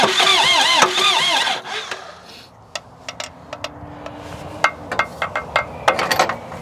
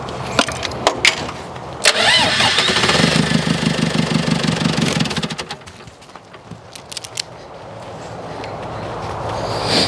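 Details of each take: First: Presumed mid-to-late-1980s L 844 TT 34 Highlander II diesel telehandler, bought cheap, normal crank and start: a strong even crank catches within about a second and a half, then quiet ticking follows; the starter turns it over healthily. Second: Mid-to-late-1980s L844 TT34 Highlander II diesel telehandler: clattery cranking catches into an uneven, labouring run that sags and fades. The engine struggles to keep running, and the owner suspects the small supply pump is going bad; cause unconfirmed.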